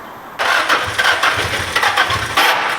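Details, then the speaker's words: SR20-swapped Mazda MX-5 / Miata NC, first startup at the dyno after fluids were added: engine catches after a pause but runs in ragged, uneven bursts and stumbles; crew suspects timing off or misfiring; rough running on start. "Yeah, it's like, I think maybe timing's off or something. It might be firing off."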